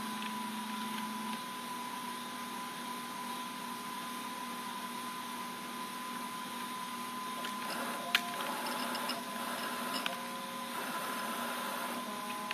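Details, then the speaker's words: FamiLAB CNC servo axis traversing back to the rear of the table, with GeckoDrives tuned and 48V on 60V motors. A smooth, steady whine with a few light clicks and no grinding. Normal traverse. "send her back to the back of the table there we're definitely need limit switches but for now it's running really well so it's very quiet"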